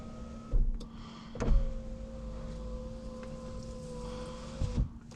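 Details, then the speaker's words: Saab 9-5 power window after silicone lubricant soaked into channels overnight: steady even motor hum about four seconds, no binding; much improved, slight ticking is window unsealing, normal. "that is an improvement and windows have improved a lot so that's ticking noise also that is the window unsealing so that's fine"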